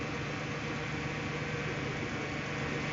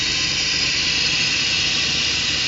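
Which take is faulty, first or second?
second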